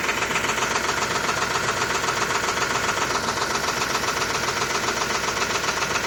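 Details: 2005 Range Rover with BMW M62-family V8 at idle: timing chain rattle, an even metallic rattle two or three times a second. Timing fault remained after new VANOS, chain and tensioners; oil-filter particles clogging the two VANOS check valves were the root cause.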